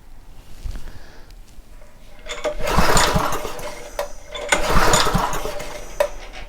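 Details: Homelite 2500 W generator after penetrating oil was applied and the intake valve was gently tapped. On each pull it fires briefly and dies within a second. A fouled spark plug was suspected, but spark is present; cause unconfirmed.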